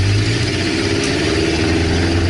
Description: Using this method I was able to locate a leaky exhaust manifold in less than 5 minutes!